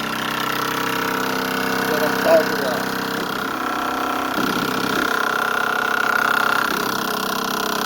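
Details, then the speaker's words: El Camino after a QA1 front suspension install, cranking on the starter without starting: a harsh, loud metallic rattle over steady tones; the owner suspects metal-to-metal contact and plans to add rubber between the parts. "i'm gonna just turn it over i ain't even gonna start i'm gonna just turn it over you're gonna hear the the the loud noise i hate it"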